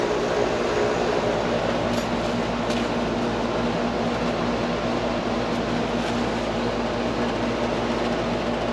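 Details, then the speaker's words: Carrier AC unit on a no-cool call (upstairs staying hot), compressor fired up after rewiring to the capacitor common and herm terminals, drawing about 9.3 amps: smooth, constant compressor hum under steady fan rush, suction line getting cool, running properly. "Suction line getting nice and cool. Alright, I think that's a winner there."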